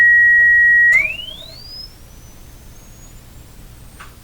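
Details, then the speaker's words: About 100-year-old speaker tested with tone, microphone inches away: clean steady tone then smooth sweep up into treble, audible to about 10 kHz, no buzz or rattle; old radio sound but working well. "Oh, it has that old radio sound to it. Probably because it's coming out of here."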